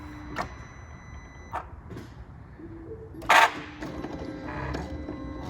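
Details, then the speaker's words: 2008 second-generation MINI Cooper S with extended cranking and a drivetrain malfunction light: at key-on a few clicks, then a sharp loud buzz and whirr from the throttle body self-calibrating, far louder than normal; fault codes point to a faulty throttle body. "ar or to turn the key on you might hear like a little noise that's the throttle body cycling and calibrating itself now sometimes it when it goes bad it'll be extra loud like in the case on this vehicle right here"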